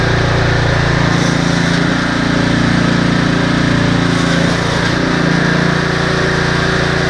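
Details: Husqvarna ST330T/ST332 snowblower that wouldn't start, oil black and smelling of gasoline: steady, even single-cylinder drone with no misses, surging or knocks; engine now running healthy.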